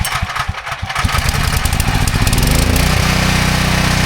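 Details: Uneven pulling puffs catch within about two seconds, then settle into a smooth, steady run: a Briggs & Stratton 6,250-watt gas generator that would not start after sitting, started after fitting a new spark plug.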